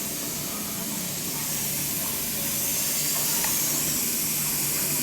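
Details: Newly replaced gas boiler with three circulator zones (old flow checks removed, high vent added) filling before purging: a steady, unbroken hiss of water rushing into the new piping with no spurting or dripping; filling normally, no leaks.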